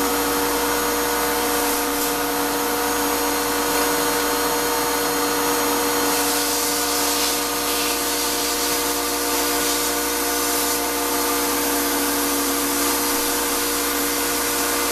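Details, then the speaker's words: Shop-Vac motor on a tumbler setup, running with no hose attached, gives a sustained high gritty whine over the airflow; dust passed through the motor before a separator was fitted has destroyed it: bad smell, poor suction, owner fears fire. "it's just not functioning it's making a terrible sound it's making a bad smell the suction is just bad"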